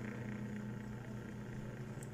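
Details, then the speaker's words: Dowell electric fan motor before repair: low hum with a buzzy rattle that gets very loud at night, because the thrust washer is worn away and the shaft has large end-play clearance; bushings and shaft still good, to be fixed by adding a washer. "Pag sa gabi na yan guys, grabe na yung ingay. So hindi mahimbing yung tulog natin dahil sa ingay ng electric fan."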